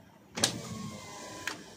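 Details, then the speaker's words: 2023 Toyota Avanza G 1.5 automatic, driver's side power window: sharp click as glass starts moving, soft motor whir, then another click; loose window regulator rail bolts. "Jadi kalau misalkan kaca kaca ini diturunkan atau dinaikkan itu ada bunyi teman-teman kayak gini bunyinya"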